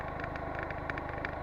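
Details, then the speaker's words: Honda Dio scooter, heard while riding on a long trip: a fast, light, regular rattle over a quiet engine hum; abnormal knock of unknown origin that appeared on the road. "как тарахтит на она даже сейчас слышно"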